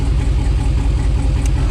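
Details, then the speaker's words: GM LS-type V8 with coil-on-plug ignition and a recurring random misfire code, idling, heard from underneath: low, lumpy, stumbling idle as one coil connector is unplugged; cylinder 5 showed no change when unplugged, so it is the misfiring cylinder. "Now if I disconnect this plug, and you can just barely hear how the engine runs different when it's plugged in versus when it's not."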